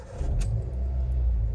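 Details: Hyundai i10 engine at idle after fixing an engine noise problem (water pump, alternator, belt or timing chain suspected): short, smooth, low rumble with no rattle or tractor-like clatter; quiet and healthy.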